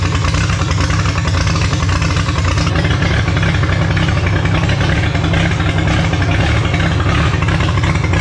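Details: Holden grey motor six in a HAMB dragster with triple Stromberg carbs during carb synch: loud deep lumpy idle that surges and stumbles; big cam overlap means it won't idle below about 1600 rpm, pumping raw fuel out the exhaust.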